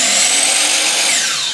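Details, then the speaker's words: Miter saw motor at full speed before cutting: steady high-pitched whine that settles and fades slightly as the saw coasts; normal, healthy full-speed motor whine. "You hear that high-pitched whine? That's full speed."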